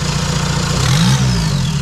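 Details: VW Mk1 Caddy pickup TDI diesel just after installing larger injector nozzles, lines not bled: diesel rattle with brief rev swell settling into even low idle, no miss; started fine, healthy.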